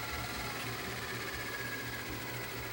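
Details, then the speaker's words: Tascam DA-P1 DAT machine after switch repair: soft steady motor whir with a thin even whine and a click at the end as the tape rewinds smoothly; normal tape rewind. "okay tape's playing and i go back and there it goes"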